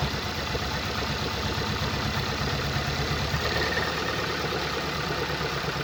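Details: 2014 Skoda Octavia RS, 1984cc 162kW petrol, engine code CHHB, 196,743 km: a lumpy idle with a recurring stumble; cylinder 3 misfire from a failed ignition coil and spark plug.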